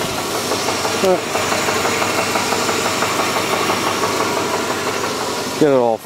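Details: Engine idling, heard from underneath the car with the accessory belt off: a regular deep knock on every turn that persists with the belt off; definitely a rod knock, worn connecting rod bearing.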